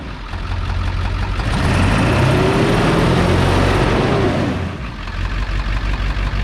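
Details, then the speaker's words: Ford 7.3 Powerstroke diesel after turbo rebuild, new injectors, glow plugs and wiring, first run in a year: deep steady diesel clatter, brief throttle blip, settling to an even idle that sounds normal; visible boost leaks noted. Normal diesel idle. "She started. Dude, now that kind of sounds normal. Huh? That sounds kind of normal right now."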